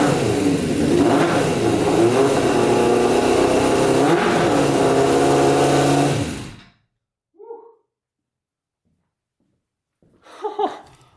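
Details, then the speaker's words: Custom Yamaha Banshee with 600cc sport bike engine swap: crisp, sharp revs climbing and dropping cleanly with no stumble or miss. Runs strong; one carburettor leaks fuel, float bowl possibly stuck. "That thing sounds mean. Oh man. She runs pretty good too."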